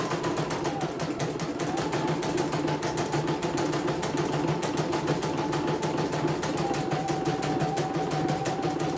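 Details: CNY embroidery machine (M21), sent from Mojokerto in a fully jammed state with heavy rotation, test run after servicing before shipping. Quick, even needle clicking over a light motor hum with no catching or grinding: stitches smoothly, no problems, ready to ship.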